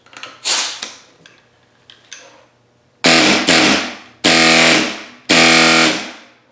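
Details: New Baxter inline air sander (Harbor Freight 63994), dual piston, first run after connecting air: short bursts of steady, even high-pitched hiss and buzz, no rattle or stumble; sounds healthy.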